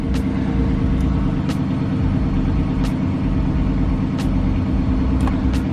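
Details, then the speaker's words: 2007 Chrysler 300C 5.7 Hemi after alternator replacement: smooth, even low idle with a few light clicks and no whine, with 14 V at the battery and 13.9 V shown. Normal idle. "alright now you can see a battery print out 14 volts let's go to the bigger one and we have it 13.9 and as you hear you don't hear that whining noise anymore"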